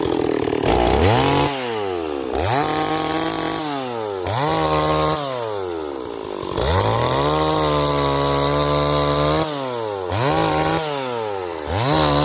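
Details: Stihl 026 chainsaw, returned by its owner as a no-start and repaired, cutting wood; revs up cleanly into each cut and drops back evenly, strong steady pull under load: healthy.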